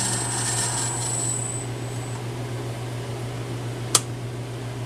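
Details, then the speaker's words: 1/2 HP three-phase motor on VFD ramped to full speed, 60 Hz, furnace roar in background: steady even hum with faint whir, no knocks or rubbing; runs smoothly with slight noise. "and that's full-speed there that 60 Hertz so feels really smooth there's a little not sure if you can hear it over the furnace but there's a little bit of noise there"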